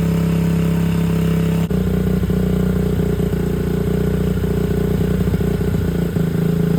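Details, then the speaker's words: 2001 Honda XR70R dirt bike just after a new 20 mm TB carburetor install, full tank: thumps along at idle, a blip stumbles and revs hang briefly before recovering; bog off idle, cause unknown. "So, basically what we got going on here is if I just from idle, I just give it just box, which I'm sure you can hear."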